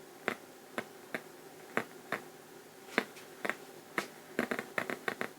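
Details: 1973 Luxman L-507 amplifier, 50 W per channel, on cold start: sharp irregular pops and crackles, one or two a second over quiet hiss, left channel only, before relay clicks in; amplifier crackle and pops, cause not yet found.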